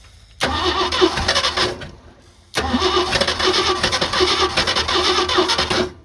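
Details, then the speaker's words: 1986 Ford F250 fires and runs about a second and a half, dies, restarts, runs three seconds, then cuts out again while being warmed up on its first drive; stalling after start, cause not identified. "What happened? Did I give it too much onions? Let's try it again."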